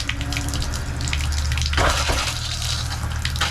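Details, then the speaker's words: RV shower on hot after installing new Seaflow water pump: strong, steady gush with a low pump hum, good pressure barely turned on, a little air still purging; normal water flow. "this looks promising let's kick on the shower head good pressure and this thing is barely even turned on it's working a little bit of air out of the system right now that has to be expected"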